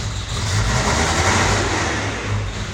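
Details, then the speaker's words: 1991 Toyota 4Runner 22RE with an intermittent single-click no-start despite several dealer-replaced starters, brand-new starter fitted, battery charged to about 12.7 V; this time it catches quickly and revs smoothly with no clicking; normal crank and start. "and it started this started it wasn't starting before of course I started recording and it starts"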